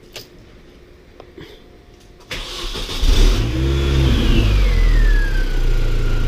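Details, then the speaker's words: R53 Mini Cooper S after supercharger replacement (old one failed, chewed gears and water pump end seals suspected): clean start and smooth revs, horrific rattle gone, light supercharger whine rising and falling with revs; water pump still needs replacing. "Horrific rattling noise has gone. Bit more of a whine from the supercharger now. Yeah, running like a champ."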